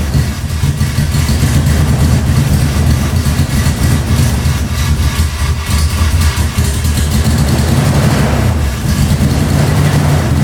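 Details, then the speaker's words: 1990 Toyota Pickup with swapped 3.4L 5VZ-FE V6, first start with new injectors: loud lumpy uneven idle with dips, running very rich, fuel puddling from exhaust and heavy smoke; owner suspects something tricking the ECU into over-fueling. "well the guy wasn't lying this thing sure runs rich so i kind of wiped it up there was some puddles of fuel coming out the exhaust and just smoking out the whole neighborhood"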